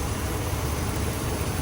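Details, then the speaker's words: 2005 Ram 5.7 Hemi V8 without cylinder deactivation, idling after a water pump replacement: a low, even, quiet rumble with no ticks, knocks or whine, healthy. "Non-displacement on-demand engines. Super quiet."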